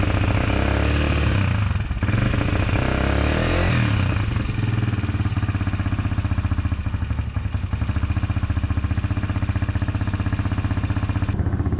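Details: 2022 Hawk 150 Chinese single-cylinder bike on its first test ride: a steady idle with a light, quick tick over the thump, from improperly set valve lash, later fixed by adjusting the valves.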